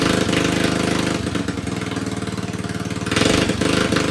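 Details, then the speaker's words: John Deere 111 mower with replacement single-cylinder engine, after swapping the ignition coil that gave no spark: even thumping idle around three firings a second, no misses or knocks; runs well. "All right. Well, that runs pretty good, I think."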